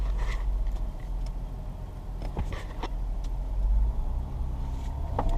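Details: 2005 Ford Escape idles with a low, steady rumble, no misses or surging, after a fuel filter install. The warning light is now off and the engine runs great. Spark plugs may still be due.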